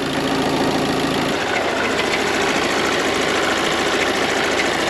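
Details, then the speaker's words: 1.6 HDi diesel idling, heard outside: a rough, uneven metallic clatter over the normal run, not heard inside the cabin; possibly the vacuum pump located in the oil pan, unconfirmed; judged not needing replacement. "jest takie jazgot a nie tutaj vakupompa jest bodajże w misce olejowej i ona chyba jakieś dziwne dźwięki wydaje"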